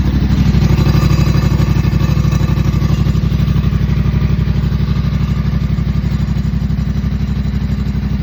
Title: 2024 Yamaha MT07 rattling noise anyone know what it could be ?